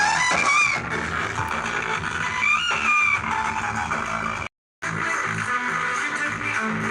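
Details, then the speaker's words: CD4440 IC amplifier music system after repair (its ICs had been wired in reversed), on a 13 V supply: clean steady guitar music with heavy bass and no hum, crackle or distortion, one short dropout; IC not overheating; working normally. "ನೋಡಿ ಇವಾಗ system ಪ್ರಾಪರಾಗಿ work ಆಗ್ತಾ ಇದೆ, ಏನು issue ಏನಿಲ್ಲ."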